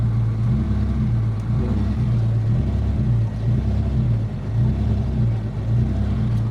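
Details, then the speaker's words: Mitsubishi GSR manual, hard starting: with air conditioning on, idle rises and dips about once a second and the exhaust sputters unevenly instead of running steadily. Idle hunting. "naka-host naman yung aircon so bali kaonti lang yung taas baba niya yyan tapos parang nanginginig yung ano pugak pugak yung tambutso"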